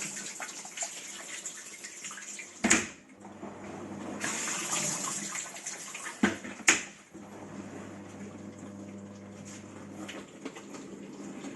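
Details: Old discontinued Bosch dishwasher, recirculation motor impeller had detached and was glued back on: water sprays and swishes steadily over an even pump hum, washing normally.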